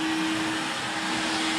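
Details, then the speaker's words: Dust extractor on cheap blaster cabinet, flex hose joint taped: strong, steady high-pitched vacuum roar with even tone, no surging or rattles; good suction, normal running. "That one's plugged in and works. Hope you can hear me over the top of that."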